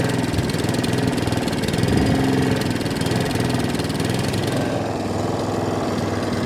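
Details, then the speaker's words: Allett Kensington cylinder mower with Kawasaki FJ100 engine, before repair: revs wander up and down with a slight miss, hunting and surging blamed on a fuel delivery problem. "you can hear the engines dropping and the machine not running as sweet as it should so as you can hear the reds are dropping up and down there's a slight mist in the machine"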